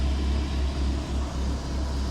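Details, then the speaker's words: Fully built 2-litre N7A 16v turbo engine (forged pistons and rods, 0.5 overbore, Garrett T34 turbo), still on a base map after sitting: smooth, quiet, even idle with good oil pressure and no bottom-end knock; normal idle. "It's still on a base map, so it doesn't always like to idle, okay? When it's been like sat for a bit. So that is nice and quiet. I'm happy with that."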